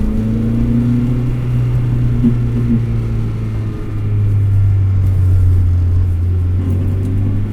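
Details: 2003 Acura RSX Type S with Energy Suspension bushings, engine damper and aftermarket motor mount, at idle: low steady drone with slight uneven throb; stiff bushings pass engine vibration through the frame, car shakes and coins rattle.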